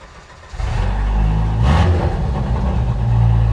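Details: Jeep YJ Wrangler, just freed from a seizure with five gallons of diesel, starting up. It catches after half a second into a loud, raw, deep, unmuffled rumble. Exhaust is open after the cat, missing muffler and tailpipe.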